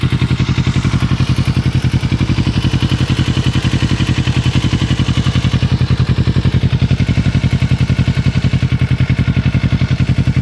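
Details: 2006 Kawasaki Ninja 650R twin idling with a steady even beat and a light tick on each pulse; owner unsure whether the ticking is normal.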